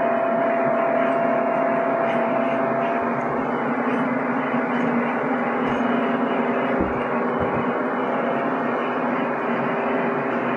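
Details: PC with a Ryzen R7 1700 overclocked to 3.9 GHz at 1.325 V under CPU load, cooled by a Deepcool Gammaxx 400 with dual fans (CPU max 62C). Steady airy whoosh with a faint constant tone and no ticking or rattle. Normal fan noise under load.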